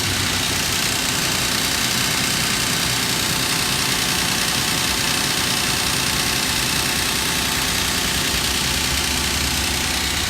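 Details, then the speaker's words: 2006 Nissan Frontier at cold idle, knock from the head side: steady metallic slapping about three a second; owner blames worn timing chain guides letting the chain hit the tensioner, and suspects a bad oil pump as oil pressure fluctuates once warm. "the time chain is just hitting the tensioner so that's metal on metal dust uh that's the sound you hear"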